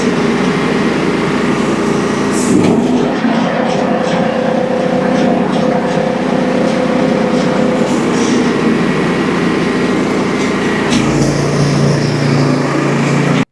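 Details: Early first-edition DR all-terrain brush mower after repair with new bearings and idler pulley instead of replacing the clutch (blades had stopped engaging); loud, steady engine drone, blades spinning evenly, no grinding or clatter from the drive; normal running.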